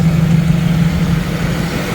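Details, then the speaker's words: 1990 Jeep YJ 4.2L inline-six, 5-speed, new carburetor, warm at about 185°F; smooth even low idle settling slightly lower, no stumbling; normal warm idle, problem solved, choke still sticks shut on throttle. "it sounds good. It sounds nice and smooth again. So, that problem is solved."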